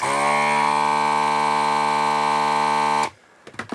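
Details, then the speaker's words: ZD-915 desoldering station vacuum pump after repair, supply about 12.5 V (12 V nominal), stable: steady even clean buzzing hum for three seconds then switches off; back in business, normal vacuum pump running. "Yeah, I guess we're back in business here. We got the Moo back. It's a Moo gun again."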